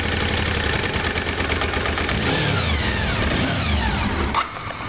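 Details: Honda VFR 750 left parked five months, now running rough: uneven stumbling beat, roughly three pulses a second, never settling into a steady idle.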